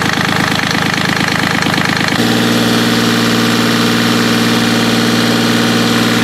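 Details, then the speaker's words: Yanmar 3GM30F marine diesel after gear case cover gasket replacement and reassembly: a rough couple of seconds catching, then a steady, even idle with a firm low hum; sounds healthy. "okay let's start it up and run it until the water is coming out so then we'll know that all that's good yep it should fire pretty normally"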